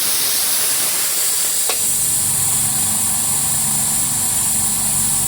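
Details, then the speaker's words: D KIEI 50-litre "silent" air compressor, blow-off valve needle pulled by hand: loud, steady, sustained rushing hiss of tank air venting. Normal blow-off valve air dump. "If you pull that, it's going to make a load of noise now. It's going to be dumping air. It's really simple."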